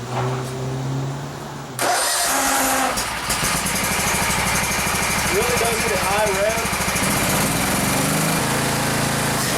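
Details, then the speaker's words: Gravely 144Z zero-turn mower, 17 HP Kawasaki FH500V engine, before cooling fan replacement: cranks, catches, then idles with coarse uneven throbbing shake about three beats per second; owner heard what sounded like a plastic fan; heavy engine vibration. "anyway I could feel it vibrating like crazy"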